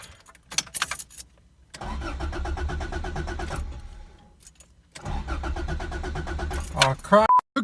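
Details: Toyota AE86 starter after cleaning its copper contacts to fix clicking: two bursts of steady, even cranking at about three pulses a second, starter now works but the engine never catches.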